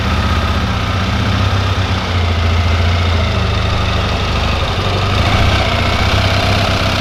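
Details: 1974 Triumph Bonneville T140V parallel twin after kickstarting: settles into a lumpy, loud idle with a steady low thump and no odd knocks or rattles. Normal, healthy idle.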